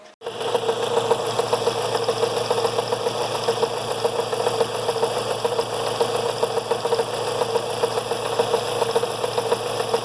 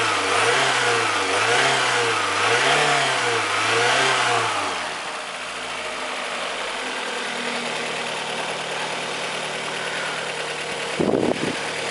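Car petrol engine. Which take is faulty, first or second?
first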